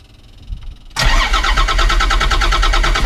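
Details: 1991 Ford F350 with CAT 3126 diesel swap, first start after new oil pump install to fix hard-start issue: short crank, then catches at once and settles into an even, steady diesel idle; clean healthy start.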